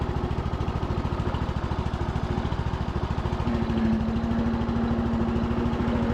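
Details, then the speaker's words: Cub Cadet LT1045 riding mower after replacing a drive belt that had a chunk missing and caused banging: an even engine chug, quiet transmission, no banging, and a faint squeak from a pulley or the tensioner. "transmission sounds quiet I think one of those pulleys or maybe the tensioner has got a little squeak to it though I can still hear it but it's not making that horrible banging sound it was before"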